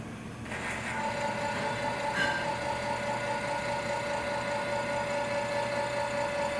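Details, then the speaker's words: Indelac AS series spring-return electric actuator driving to the open position (12-second cycle): steady motor hum with an even gear whine at one pitch, then locks into place; normal running. "The cycle time on this is 12 seconds. There we go, locked into place."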